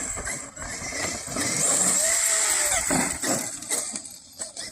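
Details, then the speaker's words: Small electric RC truck running outdoors with a failing steering servo after hard jump landings: irregular sharp clicks cut through the high motor whine, and the servo is nearly dead. "Yeah, that servo, you guys hear it clicking? It's pretty much dead."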